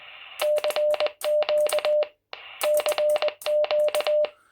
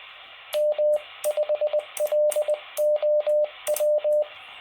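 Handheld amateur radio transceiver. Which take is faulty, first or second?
first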